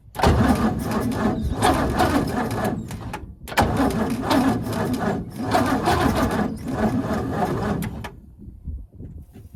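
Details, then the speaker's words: 1942 Ford 200ci cranking after 20+ years idle, premix fed in to lubricate the top end, starter apparently original from 1965: sluggish, uneven cranking in bursts with a few catches but no run; starter has issues, engine wants to fire. "Definitely think this starter's definitely got some issues, but she does want to fire."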